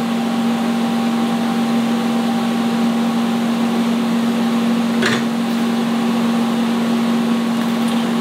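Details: Vulcan ProTIG 200 welder, AC TIG on aluminum at 75 AC balance: steady even low buzz with faint high hum held for seconds, one brief crackle; normal AC arc.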